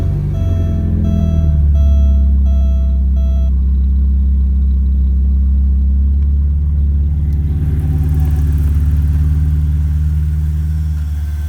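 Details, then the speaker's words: 1987 Porsche 924S after fixing an overlooked intake gasket, with the DME temp sensor plugged in: engine catches and settles into a steady, even idle with a smooth low rumble, no knocks or misses; running much better, drivable. "alright guys I got this engine back together and it's doing much better now"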